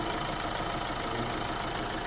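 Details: 2011 Renault Clio 1.5 dCi diesel with 226,432 km, in for a strange engine noise mostly when cold; after service with antifreeze replaced: steady, even diesel clatter at idle, no hiss, tapping or uneven beats. Idling normally.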